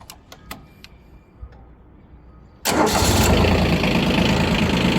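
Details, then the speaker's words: Yanmar Ke-3 four-wheel-drive diesel mini tractor. A few clicks, then it fires at once and settles into a smooth, even idle with no extraneous knocks or rattles: normal start and idle. "работает ровно без каких-либо посторонних шумов"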